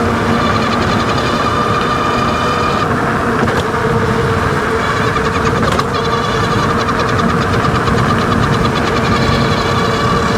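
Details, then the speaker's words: Wallke H7 AWD e-bike, 48V 40Ah, 750W front geared hub motor, full throttle at high speed, microphone down near front wheel: steady high whine over road noise, gone in PAS 4. "a all right so you can hear there with the microphone down below hopefully a little bit better the w w noise it was making now that's usually when it's full throttle getting up to high speeds"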